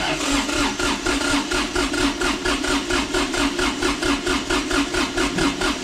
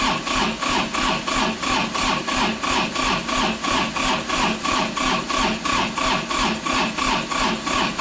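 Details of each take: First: Kubota D905 diesel in a Lincoln Ranger 300 welder, warmed up, cranking for a compression test with the fuel shut off by a zip-tied stop lever: an even chug of about four strong beats per second. Cylinder 1 reads about 370–380, which is good compression. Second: Kubota D905 diesel (Lincoln Ranger 300 welder) cold start on a chilly day after glow plugs, on a jump pack: labouring crank at about three pulses a second for thirteen seconds, never firing; jump pack too weak, jumper cables used next.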